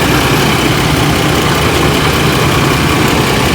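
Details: 4.3L Vortec after oil pan gasket replacement, steady low even idle rumble with no knocks or misses; engine sounds healthy, possible slight exhaust manifold gasket leak suspected.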